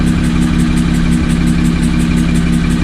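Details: Car after an autocross track day, idling with a steady rhythmic pulse about three per second and a faint hissy metallic sucking edge. Unchanged after loading a new tune and replacing one cam position sensor; source unknown.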